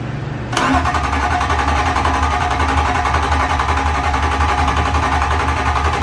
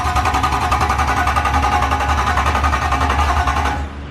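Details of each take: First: S54 engine swapped into a BMW E34, first start attempt, manifold off, fuel pump fuse just fitted: steady healthy starter churning in two long bursts, about four turns a second, no firing; cranks but won't start, no fuel. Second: BMW E34 swapped with E46 M3 S54 engine, first crank with no exhaust manifold fitted and fuel pump fuse out; fast, strong, even starter chug about 3.5 beats a second, no firing. Normal cranking.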